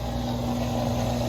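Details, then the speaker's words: Haier washing machine drain pump, temporarily fixed by moving the pump, running to push out the remaining water: steady, even motor hum with a constant low tone and no rattling; normal drain pump operation. "the pump working just trying to push up the rest of the water"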